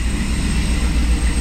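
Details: 1957 Chevy Bel Air with warmed-over 327 V8 and FiTech EFI, after adding gasoline to the empty tank: deep even rumble with steady low beat, no misses or knocks; normal running.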